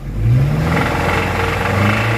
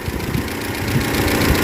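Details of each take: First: 2013 Toyota Innova 2.7L VVTi petrol: normal at idle, but with throttle a heavy low knock starts and is loudest between 2000 and 3000 rpm, vanishing on releasing the accelerator; sounds like crank connecting rod knock, engine condition poor. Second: 2013 Toyota Innova 2.7L VVTi petrol, first start after engine repair, oil primed by cranking with crank sensor unplugged; original complaint was noise at 2000–3000 rpm: steady, even idle with no knocks or misses, normal idle.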